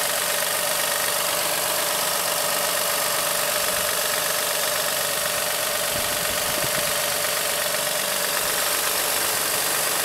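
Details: 2007 Acura MDX idling with a steady light knock, about four per second, traced to a worn power steering belt tensioner; replacing the tensioner cured the knock.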